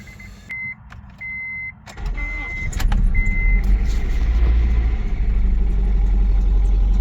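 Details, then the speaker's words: Acura with a newly replaced battery: aftermarket alarm chirps, then the engine idles with an uneven stumbling misfire that smooths out when given more gas. Owner suspects a too-tight valve or a bad spark plug. "hear it's got of misfiring for sure but when you give it more gas like right there see right there is running fine"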